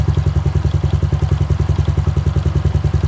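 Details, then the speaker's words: Honda Wave 110i after the spark plug cap was refitted, tightened onto the lead and tested with water spray: steady even single-cylinder idle at about ten beats a second, no stumbles; now runs normally when wet. "ครับเตรียมตัวใหม่เนี่ยโดนน้ำไม่ทุกสถานเลยนะคุณจะแตกต่างจากรัก"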